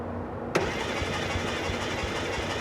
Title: engine won't start